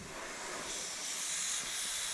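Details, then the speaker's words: Race truck air tank fitting leaking, steady high airy hiss while tank holds about 100 psi; fitting seems tight, another wrench turn or two planned. "fitting is leaking so it looks like it's tight enough but I mean it's holding 100 pounds"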